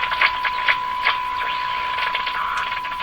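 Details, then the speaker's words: Eatons Universal Electrohome floorstanding tube radio, signal injected tube to tube; constant higher-pitched whine under crackles and pops with an audio wobble, traced to the antenna; suspected oscillation, not confirmed, main fault is antenna signal not reaching the first tube. "there's another sound in here now kind of a higher pitched whiny sound could that be coming from the antenna yes that's what it is"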